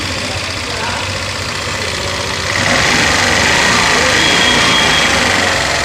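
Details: TVS Scooty Pep+ after fixing starting problem (kinked petrol hose replaced, new spark plug, test battery; clutch roller kit changed): small single catches, revs briefly, holds even regular beat; starts cleanly, idles normally.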